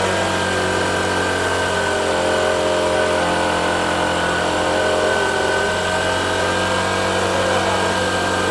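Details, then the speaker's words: Honda Shine with a newly fitted replacement shutter-model carburettor, before tuning: smooth, steady idle with an even light buzz, no misses or surging. The earlier problem is gone and it runs cleanly. "ఇప్పుడు బండి అయితే బురుగు పని అయితే మొత్తం పోయిందన్న."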